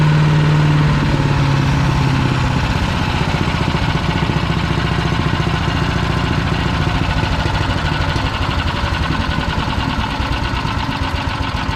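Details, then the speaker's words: PowerMate 212cc wood chipper, used once then broke with something wrapped inside, choke closed, fuel on: steady low single-cylinder idle chug with an irregular clattery edge on each beat; odd noise of unknown source, cause unconfirmed. "all right so that's something in turn I guess it makes that noise I don't remember hearing that"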